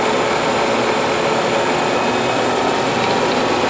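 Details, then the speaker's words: Bridgeport Series II vertical milling machine spindle run at about 3,000 RPM: steady even high-speed whir with smooth hiss, no knocks or rattles; spindle sounds nice and healthy. "3,000. Give me that 3,000. It sounds nice."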